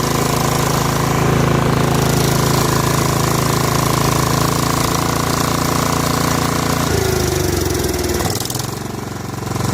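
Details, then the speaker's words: Snapper SR1433 rear-engine rider mower, sat 8 years, after carburetor rebuild: steady low drone running evenly, note dropping away at the end as it is shut off; normal running, muffler deposits likely burning off. "Stuff in that muffler to burn off, I think. Let's shut it off and restart it and see how it does."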